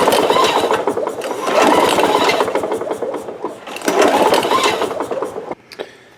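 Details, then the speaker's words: Lawn Boy mower, no start: repeated hard recoil pulls, engine spinning over with quick uneven ticks but never firing; spark test on known good plug shows no spark, coil to be checked. "What I did was I took a piece of wire, wrapped it out around a known good spark plug, put it in here, and there is no spark."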